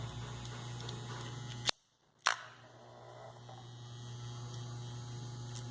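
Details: Wahl Keep hair clipper running with a steady low buzz, coarse rattly edge, briefly stopping and returning; worn, loose internal connector from age of use causes the noise.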